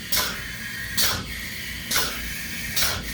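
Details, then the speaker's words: Python XL DA25 pneumatic plunger chemical injection pump started manually after a dry run: the sound changes as it primes itself, with even exhaust-air strokes and the hose solid with fluid; it is cycling normally. "The pump is running on an on-off cycle right now, but we can manually start it to demonstrate that it's going to basically prime itself. You can start to hear the change in sound, and you notice it's solid blue in the hose."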